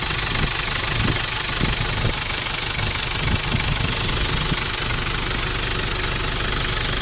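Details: 1994 Nissan Big M, BD25 2.5L four-cylinder direct-injection diesel pickup, started easily: steady, even diesel clatter at idle with no misses or rising knock, idling normally.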